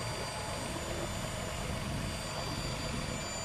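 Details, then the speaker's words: 2014 Nissan Pathfinder in winter, pre-purchase inspection, idling with the hood open: even idle hum with a thin, constant high-pitched whine from one side of the engine; source unknown, possibly normal. "next open the hood listen at the engine now engine sounds good however there is a small wind I can hear from this site not sure what it is not sure if it's normal"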